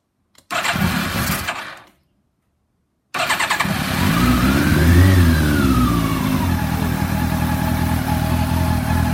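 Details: Bimota YB8e first start-up after rebuild, fuel primed, choke on: fuel pump clicks, starter cranks briefly, then the engine catches into a steady, slightly lumpy fast idle; carbs not yet balanced; starts cleanly.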